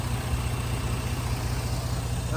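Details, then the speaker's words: 2009 Jeep Grand Cherokee idling after the dealer fixed a low oil pressure fault that followed an oil leak repair: smooth even idle, steady low beat, no knock, tick or rattle. No oil light, though some smoke is seen from the front. "and it sounds good it sounds"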